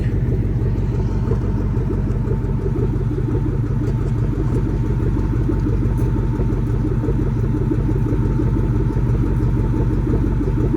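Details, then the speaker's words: Warm 2004 Ford Mustang Mach 1 V8 idling outside at operating temperature: light, quick tapping about three ticks a second over the rumble; owner suspects a driver-side exhaust manifold leak, possibly behind a lean code. "Yeah, you can probably hear that exhaust leak a lot better now. That little ticking, tapping sound is definitely an exhaust leak."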